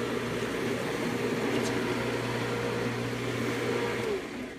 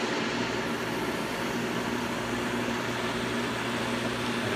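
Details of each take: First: Pool pump switched on high after filter cleaning: steady motor hum with rough hissing rush as the pump is starved of water because the basket inside flipped up; secondary clear-top basket not full, so owner switches to low to refill. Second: Pool pump running normally once the clear-top basket is refilled and primed: steady even whoosh of water, water moving rather violently, constant low motor hum, no surging, rattling or air gulping.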